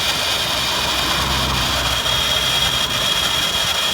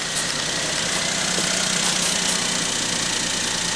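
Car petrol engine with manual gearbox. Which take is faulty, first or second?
first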